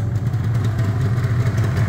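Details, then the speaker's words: Yamaha RD350 LC F2 power valve two-stroke, about 13k miles, choke off and warming up: low, even burble holding steady with no misses or knocks; clean idle. "yeah she's off so we'll let her go warm a little bit"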